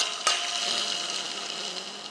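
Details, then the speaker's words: 2004 BMW E60 525 timing belt tensioner pulley, stood 7-8 months in a garage, engine sounded like a diesel; hand-spun pulley gives a dry, hissy rasp fading as it coasts, failed bearing with play. "Звук, сильный звук. Есть, он слышен, что проблема есть с подшипником, вышел он из строя."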